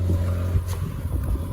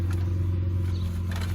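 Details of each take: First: Ford Falcon FGX 4-litre Barra petrol six, salvaged and missing its front bumper, idling with a steady low hum and no knocks or ticks. Sounds okay, though there is a slight exhaust leak underneath, possibly from forklift damage. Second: Damaged last-of-line FGX Ford Falcon, 4-litre Barra six, idling steadily with a deep even drone and faint puffing underneath; small exhaust leak under the car, suspected to be from forklift damage.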